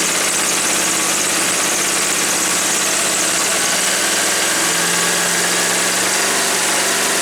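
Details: Woods 6180 zero-turn mower, 18 hp Briggs & Stratton Vanguard V-twin, with an air filter borrowed from another V-twin: steady, even drone with no misses, surging or stumbling; running smoothly.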